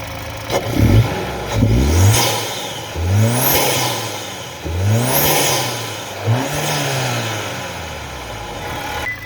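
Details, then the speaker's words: 2021-2022 Kia/Hyundai Smartstream 2.5L turbo after installing the K&N Typhoon intake 69-5328TC, with the usual light ticking at idle: three clean revs, each with a loud intake whoosh and no knocks or rattles, sounding healthy. "Okay, well that sounded pretty good. She goes whoosh, whoosh, whoosh. I like it a lot."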